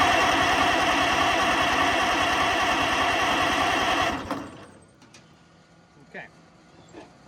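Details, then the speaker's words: Oliver 88 row crop tractor that sat 20 years, fuel in the cleaned carburetor: steady starter cranking about three and a half turns a second for four seconds, never fires; cranks but no start, owner suspects no spark. "i'm gonna say no spark"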